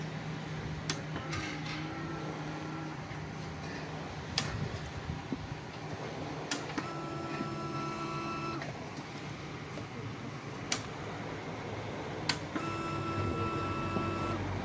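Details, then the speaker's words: Motorcycle with no blinking check engine light, troubleshooting, key cycled on and off: after each key click a steady, even fuel pump hum for a couple of seconds, then stops; fuel pump now priming properly. "So okay na mga katropa, gumagana na yung fuel pump ni boss. Naririnig na natin yung kanyang motorized, umuugong na."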